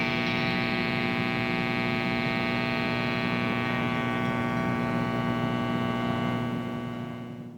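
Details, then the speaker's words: 1979 Fender Super Twin Reverb, input jack number 1 dead: only steady mains hum with slight bleed-through, no signal passes; fault in the input jack circuit. "Input jack number 1 does not appear to work. As you'll see in the following clip, you can hear some slight bleed over if you listen carefully, but obviously there's something wrong with the circuit."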